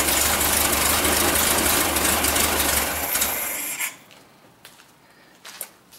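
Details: 1974 Super Beetle rebuilt engine, first start after reinstall: runs rough and uneven for a few seconds, then cuts out and dies; fuel likely not yet through the system.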